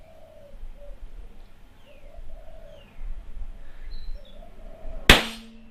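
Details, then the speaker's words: Yamaha MT-01 motorcycle tyre change: quiet seconds with birds outside, then one sharp loud pop as the tyre bead seats onto the rim during inflation, before the valve is fitted; normal bead seating. "Now, see the tyre onto the bead before I put the valve in. You should hear it give a couple of pops."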